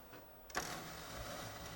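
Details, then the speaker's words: Sony KV-13VM42 13-inch TV-VCR combo (made July 2000), tape inserted but not loaded: sudden clack then faint uneven whirring and ticking as the VCR mechanism struggles; abnormal mechanism noise, VCR fault not yet diagnosed. "and it took the tape and it did not load the tape no that doesn't sound good"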